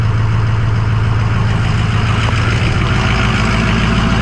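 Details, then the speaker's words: Diesel pickup, fresh oil and fuel filters, Rotella T6 synthetic and anti-gel fuel additive, cold start: steady fairly loud diesel clatter at even raised high idle, no misses or odd knocks; healthy cold high idle. "hopefully she'll start real cold natured but that's alright it had the high idle it should kick in here shortly I think it might have doddle for a minute or so"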